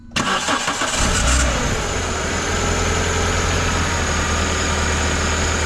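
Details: Car with a squeal only on start-up, AC being switched off, worn crank pulley insulator suspected then judged not the cause: the engine cranks and catches, then a thin tone slides down and hangs under the idle, source still unknown.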